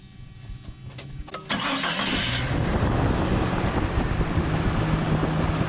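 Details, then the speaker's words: Jeep Cherokee XJ after reinstalling the distributor, cap and plug wires to fix an oil leak. Brief cranking, then it catches cleanly within about a second and runs evenly. It used to struggle a little, which the owner thinks was oil in the cap. "And before this it would struggle a little bit, and I think because it had oil up in the cap."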